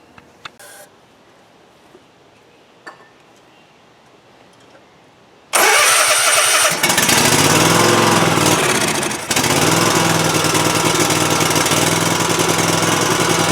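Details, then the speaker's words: Cub Cadet Ultima ZT2 zero-turn mower with 60-in deck, after a new fuel pump fixed the fuel flow problem and stopped the smoking: runs loud but slightly uneven and hunting; rough running, aftermarket Kawasaki replacement carburetor suspected. "Well, that is way better than it was. It doesn't sound great to me. I don't know if it's maybe that aftermarket carburetor is just not doing a great job, but looks like our fuel flow problem is resolved with the new pump."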